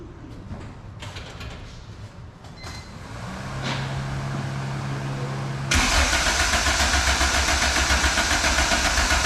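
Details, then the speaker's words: Honda Civic, first start attempt after fitting a $120 turbo that replaced a blown one. The starter spins the engine at a steady quick rhythm but it never fires, because no ECU is installed; the borrowed ECU had been removed. "oh there's no ecu in oh i it like why does it not like sound like it's even trying to turn on i forgot that i was using jordan's ecu"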